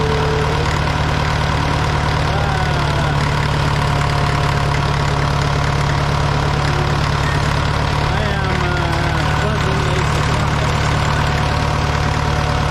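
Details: Caterpillar 955L track loader diesel, sat unused for years, just started on old fuel: even, low idle with steady pulse and no knocking or rattle; ran really well; normal idle.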